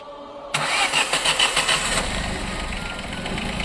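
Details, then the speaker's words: Ford Ka after replacing both worn, scratched belt pulleys to cure a noise at start-up and when hot: quick crank, fires straight away into steady quiet idle with no squeal or rattle; fixed. "Poli as trocadas e não tem barulho."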